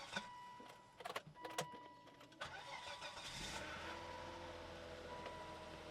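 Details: 2004 Volvo S80 started with a jumper: a few clicks, then catches and settles into an even, steady idle with no pump-like transmission whine; normal start and idle.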